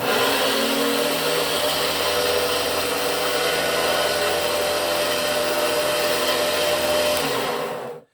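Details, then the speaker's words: 1987 Hoover Turbo 300 power nozzle during service. A steady motor whir has a rough, gravelly grumble from the worn ball race bearing, worn out through use; nothing can be done about it. "you can hear that bearing uh the ball race bearing is is very grumbly so i mean there's nothing you can do about that on it"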